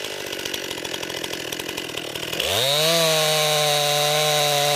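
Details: New 50cc chainsaw, about ten pounds, cutting wood from a skidded pile on a cold day: ragged chatter while loaded in the wood, then clean climb to a steady high scream. Owner finds lots of power for 50cc; normal healthy running.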